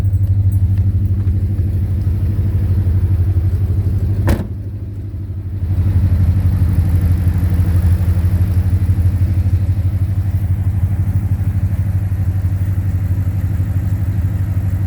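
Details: 2010 Ford Mustang GT V8 at idle: steady, dull knock about three beats a second under the rumble, louder near the oil pan and the torque converter/transmission. Suspected rod knock, lifter tick or loose torque converter; unconfirmed.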